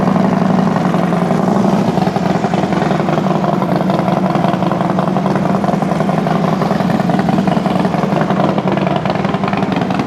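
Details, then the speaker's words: Freshly rebuilt FXD35 V-twin with Thunderheader exhaust, first startup after top-end rebuild: brief valve-train noise at the very start (empty lifters) with oil pressure cranked up, quickly gone; steady, loping idle with no knocks, normal idle. "all right well first startup sounds pretty good obviously uh I don't know if you can hear it through my microphone but even with cranking the oil pressure up you do get a little bit of valve train noise right there at the very beginning but that real quickly went away so that's good sounds good idle"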